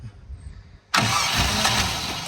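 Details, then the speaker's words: Classic 3.9 V8 Range Rover, abandoned for years, first start attempts: quiet pause, then the V8 bursts into life and runs unsteadily, fading and hunting; hard starting, suspected bad or watery old fuel. "Oh, that sounded like it wanted to go, didn't it? Ah! No."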